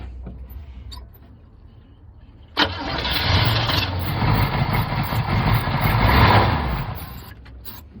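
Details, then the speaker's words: 1975 Chevy C10 after sitting 18 years: engine cranks, fires at once and settles into a steady rumbling idle, running cleanly on its own. "Look, it's running on its own. It's running on its own. It's running all on its own."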